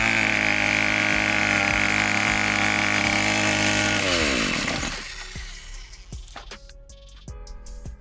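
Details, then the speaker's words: Weed eater that cranks but won't stay running, before carburetor adjustment: steady high buzz for about four seconds, then pitch sags and winds down until it quits; bogging and stalling, carburetor adjustment suspected and later fixed it. "And so what this weed eater is doing, it'll crank, but it won't stay running. It's bogging down like it's losing power."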